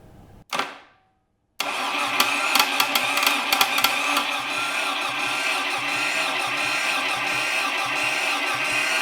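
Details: 1957 BMC Mini two-cylinder prototype engine on bench, newly mounted starter motor, no coil fitted yet so it cannot fire: click, then steady rough churn about four beats a second; normal starter cranking.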